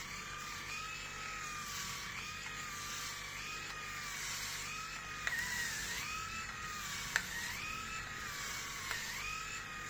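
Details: Grundig MS7640 electric shaver, new, on its first use shaving a day's head-hair stubble in a 28.7 °C room: a high motor whine that sags in pitch every second or two as it bites. The motor seems to strain under load; the owner feels it struggles more than his old shaver.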